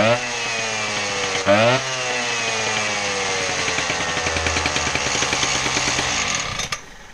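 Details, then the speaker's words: Husqvarna K770 power cutter that was bogging, test run after reassembly of air filter box and primer: high buzzy two-stroke note revs up, drops back and settles into a steady, even run with no bogging. "well there you go it seems to run doesn't it"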